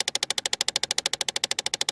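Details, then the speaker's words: 2008 Chevy Impala at key-on. Rapid, even ticking at about 13 per second under the dash from a worn driver-side HVAC blend door actuator, ticking when the temperature moves from cold toward hot. "it's got a really bad noise when you turn the key on coming from the HVAC system"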